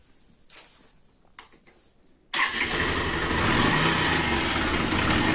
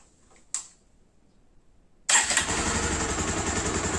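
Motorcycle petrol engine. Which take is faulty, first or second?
first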